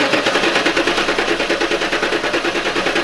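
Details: LT1 Pontiac Trans Am (4th-gen F-body), cylinder seven compression test: starter churns with an even, quick chug, about seven beats a second, steady throughout. Reads 160 psi; the left bank is consistent at 160–170. Healthy cranking.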